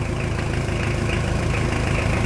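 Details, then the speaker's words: Mitsubishi Pajero Sport 4D56 diesel, cold idle during head test with hose fitted after new injectors and filters: heavy, slightly uneven clatter as compression escapes into the cooling system through a badly cracked cylinder head. "vamos fazer o teste de cabeçote guerreiras e fazia tempo que eu não vi é um cabeçote tão trincado"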